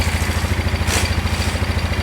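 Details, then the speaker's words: 2001 Polaris Scrambler 500 2x4 single-cylinder ATV after fixing no spark: steady idle thump with a tinny rattle coming from the end of the exhaust. "Sounds good. Other than that stuff rattling. [Music] uh the exhaust. It's coming off the exhaust. Yeah, it's coming out of the exhaust."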